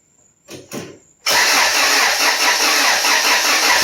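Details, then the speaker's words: Built Honda F23 turbo engine, first start after rebuild: short cranks, catches to steady idle under loud high hiss; vacuum leak suspected, fuel leak found and power steering fluid low. "I needs more power steering fluid start it up vacuum leak all right shut her down"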